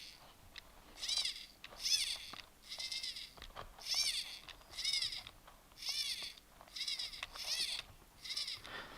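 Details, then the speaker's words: FTX Comet RC truggy: short high steering servo whines about once a second as the wheels turn, each after a delay; servo saver taking up slack, suspected of causing vibration. "Like, if I turn the wheels, it'll go turn, and then there's a definite delay before you hear the servo reluctantly going, ee. It's the servo saver taking up the slack, obviously."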